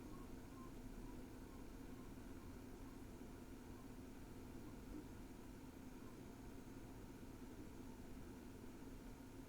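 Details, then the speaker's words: DS 93 NAS with four Kingston SSDs in RAID 5, idle, drawing about 19–20 watts: only a soft, steady low fan hum at constant pitch, no clicks or drive seeks; normal quiet idle. "when it came to noise levels when in idle well I'll let it speak for itself"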